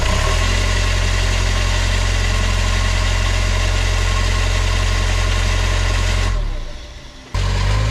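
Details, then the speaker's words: Hitachi EX75UR excavator, right after the alternator was replaced: a steady diesel idle with a constant whirring under it that stops abruptly; the starter stays engaged while the engine runs, likely what killed it; ignition/start wiring suspected. "so check this out I'm reviewing old footage and this happens right after I replace the alternator the starter is still running"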